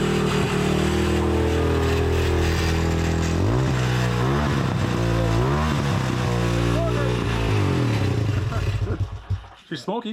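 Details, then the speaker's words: 1985 Honda ATC200X single-cylinder, original engine, first run after flooding: steady idle with clean blips up and back down and no knocking from below; smokes heavily, likely needs a top-end rebuild, but the bottom end sounds healthy. "yeah we got a runner actually definitely smokes quite a bit but nothing to Top End rebuild will not fix on that bottom end sounded really good yeah we got a winner"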